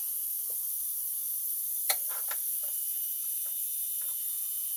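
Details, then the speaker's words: Traxxas X-Maxx RC truck at power-on, motor spinning in the wrong direction: thin, high ESC fan hiss broken by irregular scratchy ticks as blades catch on trapped pine needles and a leaf. "oh listen to that listen to that sound a fan sounds terrible oh my god"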